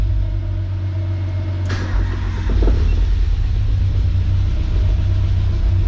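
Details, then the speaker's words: Nissan 240SX with CA18DET, first start after the head was refitted, no coolant lines or intercooler piping connected: uneven, lumpy low rumble with a stumble and a loud top end. Owner suspects a miss and worries about bent valves; cause unconfirmed. "sounds like it's missing what that is"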